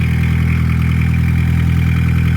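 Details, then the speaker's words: Barn-find VW Caddy pickup, diesel, off the road over 20 years, after restarting straight into life: even, settled diesel idle with a steady rattle-free beat and constant pitch; runs clean and healthy. "Straight into life."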